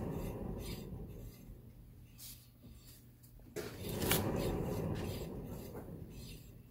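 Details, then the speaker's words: 2009 Subaru Forester, 2.5 single-cam with automatic transmission, front wheel spun by hand after checking for play (none found): quiet gritty grinding rasp with soft swishes about three times a second, indicating a bad front wheel bearing. "hopefully you can hear that grinding if you can't well I don't know turn up the volume on the TV or something regardless you got to spin this thing like The Price is Right big wheel and hope to God there's no noise of course if there is it indicates that you have a bad bearing and in this case this one is bad"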